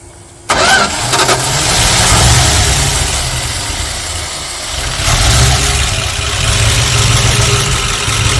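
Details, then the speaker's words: 1978 Dodge D150 318 LA V8 that had sat for a couple of years, choke fully down and fuel in it: the starter churns steadily for several seconds with a rhythmic chug, but the engine never catches. "I got the CL all the way down and I'm hitting the IGN switch and it's nothing"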